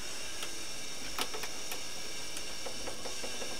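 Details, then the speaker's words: Sony MDS-JE480 MiniDisc deck, bought faulty: a steady motor whir with irregular light clicks that never stops. It won't pull in a disc, shows no display, and eject doesn't respond; the mechanism seems stuck in a loop, cause unknown before opening. "And just continually I can hear it whing away. So, let me just try inserting a mini disc and see if that changes anything. No, it doesn't want to pull it in. Sound like the mini mechanism stuck in a particular loop or something like that."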